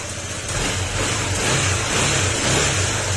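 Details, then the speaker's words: Honda PCX160 after engine overhaul for cricket-like chirping noise (damaged crankshaft and cylinder block), throttle opened: clean rise in engine note with no whine or knock; back to normal. "Okay, back to normal na siya."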